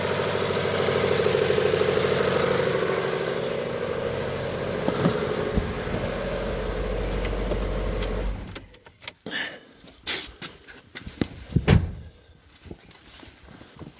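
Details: 2010 Mitsubishi Outlander, 2.0 4B11, 207,000 km showing (possibly rolled back), burning 1 L oil per 1000 km, not warmed: uneven idle with a dull rumbling knock, a whistling roller, then shut-off; worn, scored cylinder 4 suspected, pistons slapping.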